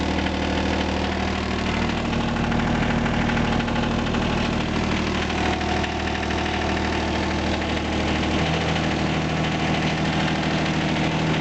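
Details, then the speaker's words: John Deere 455 diesel tractor, cold start at about two degrees after the glow heater cycles off. A steady, even diesel clatter with no misses or knocks. Normal, healthy cold idle. "here's my john deere 455 diesel i'm gonna fire it up here in a minute cold start see if she'll fire up or let's see let's see what happens turn the key wait for the heater to kick off and see what happens there she goes"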